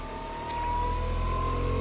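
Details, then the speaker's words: 2003 Daewoo Matiz converted to electric, two 72-90 V PMSM motors: on cruise control, a steady whine near 1 kHz climbs in pitch and loudness without throttle change; motor speeding up abnormally, cruise control sometimes not reacting. "but you hear the engine is running, start running higher speed. This is not normal."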